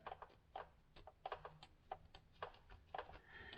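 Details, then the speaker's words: 5.7 Vortec truck with low oil pressure after coolant leaked into oil: short, scratchy rasps from a fingernail dragged across a rough, scored crankshaft journal, rod cap off, engine stopped; suspected cause of low oil pressure. "it's all scored just a million you know the way it spins it's all squared up and it's not like I can stick my fingernail in it but it's it's all rough"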